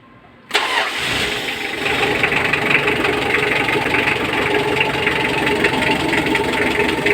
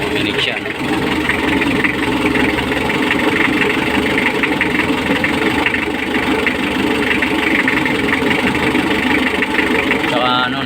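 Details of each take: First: Mitsubishi L300 diesel that previously wouldn't start on the key, after fitting the battery and starter: catches within half a second and settles into a steady, even idle with heavy smoke; injection pump timing to be adjusted. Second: Mitsubishi L300 diesel that wouldn't start on the key, now running with heavy smoke: hard, rapid clatter over a rough idle, louder than normal; injection timing previously adjusted, pump to be retarded slightly.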